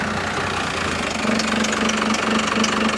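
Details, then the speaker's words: First-gen diesel truck at idle, estimated at 500–600 rpm, dropping to about 400 in gear with the AC compressor off: a slow, lumpy idle with a steady tick, sagging near stall. Low idle speed. "What do you think we're at here? 600 maybe. Is it? I'd say that's probably, yeah, I don't know. Maybe 500 to 600 probably."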